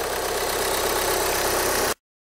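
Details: 2013 VW Jetta TDI after replacing the alternator one-way clutch pulley for a rattle complaint: steady, even diesel idle clatter with no popping or irregular knocks from underneath; normal idle.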